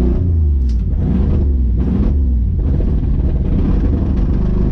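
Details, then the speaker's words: 1980 Ford Bronco carbureted engine just restarted after 18 months of storage, carburetor primed: deep, lumpy idle surging and sagging every second; owner suspects the choke stuck on, possibly a stuck float. "I think the choke stuck on it"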